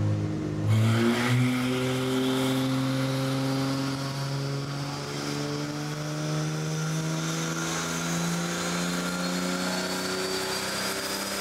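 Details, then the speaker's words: 1964 Ford flatbed, turbocharged Ford 300 with FiTech EFI, another chassis dyno pull; steep gearing needs heavy load to climb. Engine note rises smoothly, no misses or knocks; healthy, about 75 mph wheel speed. "it's such a steep gear it makes it so hard to dino because you have to load it so much just to get it to climb at a reasonable rate it needs"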